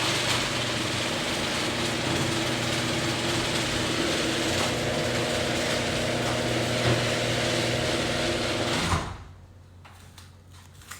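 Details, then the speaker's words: Garage door opener closing during Wyze garage door controller calibration, after controller blink and warning sound: steady fast even whirring motor drone for several seconds, stops cleanly; normal operation. "now click to close I'm gonna click it again it takes 50 seconds so there is a blink and there's a sound coming"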